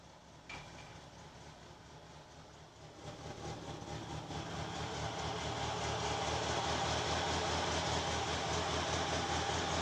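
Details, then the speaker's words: VAZ-2106 Lada on petrol, started in garage, heard through open window: faint, lumpy idle with irregular stumbles, misfire, hard starting; float chamber needle valve ball suspected of not springing freely. "Перебои в работе двигателя."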